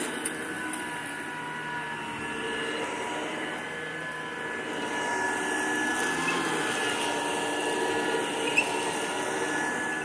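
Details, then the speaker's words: 1973 Electrolux 1205 tank vacuum, first run after sitting unused a long time: a steady, even motor hum with a smooth airy rush, no rattles or surging, so quiet it can hardly be heard; vacuum motor runs healthy. "Still runs pretty good, though. Can't even hardly hear it running."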